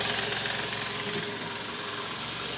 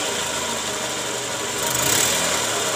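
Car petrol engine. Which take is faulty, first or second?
first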